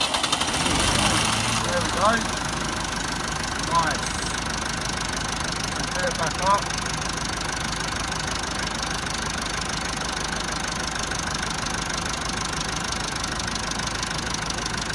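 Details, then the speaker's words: Massey Ferguson 290 diesel tractor after bleeding air from the injector fuel lines: a short crank, then it catches and settles into a steady, even, clattery idle; normal running restored after the air-in-fuel no-start. "And that's how you solve it when you've got no start and you've got an air leak. You have to bleed your injectors. That's for any diesel engine."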